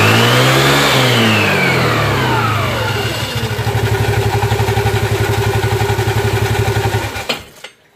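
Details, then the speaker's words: Scooter (matic) CVT, engine started to show normal operation: the belt engages and the clutch shoes open progressively as revs climb smoothly and drop back without stumble, then steady idle; sliding piece healthy, no power dip. "Oke jadi seperti ini kalau jika bagian Eh slidding ini normal gerakan mainnya itu Dia panbelnya masuk gang selingnya buka dia berurutan seperti barusan tidak anjlok"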